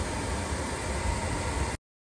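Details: Smart 453 Electric Drive with a brake-system malfunction warning: an even, loud airy whoosh with no engine note, then it stops; the battery cooling fan runs constantly, traced to recall 20190310 requiring a battery-management software update.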